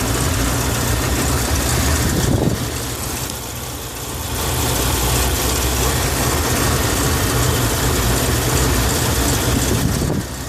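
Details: BMW E38 750i with M73TU V12, cold start at +8 °C outside: idle never settles, with irregular stumbles and uneven pulses; random misfires in all cylinders are logged and the body shakes at idle but drives fine without power loss. Cause unconfirmed.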